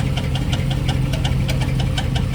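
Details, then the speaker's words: 2006 Chevrolet Silverado at idle, after the high-pitched starter rattle was fixed: sharp steady tick-knock about six times a second over a low rumble; owner suspects a cracked flex plate, possibly hit by the starter, not confirmed. "but the one that started the other day is still [Music] there that noise and I think it's coming [Music] from sounds like the flex"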